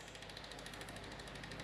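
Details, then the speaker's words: Planet X EC-130E carbon road bike after new wheel bearings and replaced freehub body; rear wheel spins freely with quick even ticking, about fourteen clicks a second, sounding normal. "Um, but I can live with that. Yeah, everything sounds good. That's spinning lovely now."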